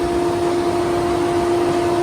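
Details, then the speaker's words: 2014 Range Rover Evoque, engine off, on a new battery: steady, unchanging fan hum as the cooling fan control module holds the radiator fans on until the battery drains; fault before module replacement. "The fans just run as long as the car has power. The fans run until it kills the battery."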